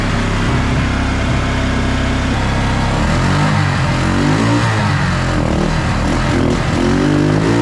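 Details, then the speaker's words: Suzuki King Quad ATV (owner thinks a 300, 1995–97), left outdoors for years, original Mikuni carb, gravity-fed fuel poured in: single-cylinder putters at idle but stumbles and putts out on each throttle blip; suspected carb/fuel delivery, plan to clean jets. "well guys I got it to idle grade it sounded pretty good um however whenever I give it some gas it seems to just Putt-Putt out"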